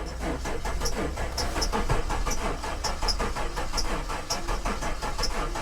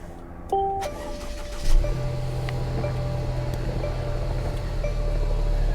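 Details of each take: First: Possibly flood-damaged Maserati at salvage auction: starter churns engine over in slow, uneven pulses for several seconds, compression building but not catching; owner suspects it sucked up water. It did start after further cranking. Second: Salvage-auction car with 77,000 miles and a check engine light on. A door chime, a brief crank, then the engine catches at once and settles into a smooth, steady idle: a healthy start.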